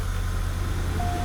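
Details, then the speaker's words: 2001 Buick LeSabre derby car, 184,000 miles, hot day, run briefly with no coolant: fires right up into a low, smooth, even idle rumble with no knocks or misses. Normal idle. "let's fire it up fires right up no problem not going to let it run for too long it is hot out and it does not have coolant"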